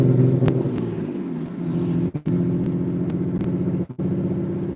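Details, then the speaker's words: 1998 BMW 320i E46 with straight pipe, driving at full throttle: loud raspy exhaust stumbles and cuts out in brief drops, rattling; rough running and misfire under load, driver suspects ignition. "That's a very nice rattling sound. This sounds like the ignition. I really have to open up the engine bay to see what's going on."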